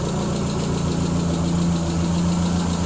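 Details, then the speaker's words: Spitfire, warm: steady, even idle around 900-1000 rpm, possibly a little high, smooth low thrum with no ticks or misses; a small exhaust manifold leak is suspected. "might be a little on a high idle side that's usually where it runs when she's warm I'd say it's probably close to 900 RPMs or a th000 somewhere in there"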